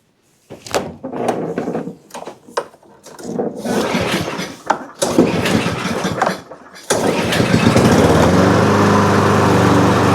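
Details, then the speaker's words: Cub Cadet push mower, Powermore engine, after rocker stud repair and new NGK BPR5ES plug: several pulls, then catches and runs steady but slow, not perfect. Low governed engine speed, to be adjusted. "Doesn't seem to be running perfect, but fired right up and it does run. I could hear as we ran that that the speed was real low. So, we're going to adjust the engine speed."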